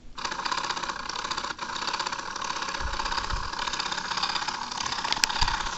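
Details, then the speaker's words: Homemade rotator gearbox driven by a 12 V DC motor run on 3 V DC through a pulley and worm gearbox, no load: steady light whir with fine gear rattle, even speed, no binding; normal running, though it skips teeth under load. "This is a 12 volts DC motor running on 3 volts DC, just like my Mega Blaster Junior's rotator motor. There's the pulley that runs the worm gearbox. It even rotates at a pretty good speed too."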